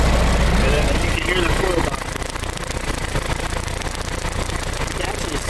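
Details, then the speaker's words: 1920 Ford Model T Centerdoor, converted to 12 volt: starts right up and settles into a low, steady idle with even firing pulses; healthy old four-cylinder. "that's a really cool sound I love the sound of it starts right up no problem"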